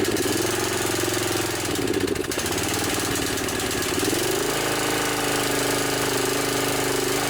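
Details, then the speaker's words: Snapper SR 1028 riding mower with 10 horsepower flathead Briggs and Stratton, rescued and revived: small single runs rough and uneven, speed sagging and recovering; sputters a little, could use more carburetor work, but functions fine. "Sputters a little bit, could probably use a little more carburetor work, but it functions just fine."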